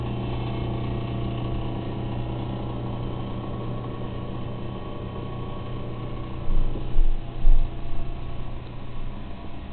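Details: Refrigerator with an intermittent noise problem: steady low hum broken midway by a few dull knocks and rattles.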